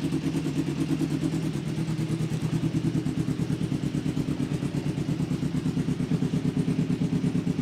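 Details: Kawasaki 500 street tracker project motorcycle running after wiring harness rework: even, steady firing with brief clean rev, no knocks, misses or rattles; running properly.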